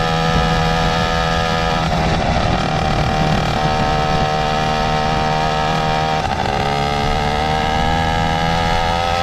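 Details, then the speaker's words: Motorized bicycle two-stroke with BikeBerry F2 Thruster expansion pipe and HP carburetor fitted, ports reworked to flow better: loud, crisp buzz holding steady and rising cleanly on throttle, no misses or knocks; normal running with expansion pipe. "Well, the carburetor will help it run smoother, but the pipe will 100% change that whole runs quiet thing. I guarantee it's gonna be pretty loud"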